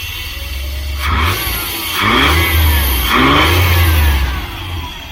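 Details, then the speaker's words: 27-year-old pre-OBD2 fuel-injected van after throttle body/intake gasket work: engine blipped three times about a second apart, revs rising unevenly with ragged note; now keeps running instead of dying but still rough. "Alright, so it's running better in that it's running now. It's not just dying out, but it definitely has a bit of"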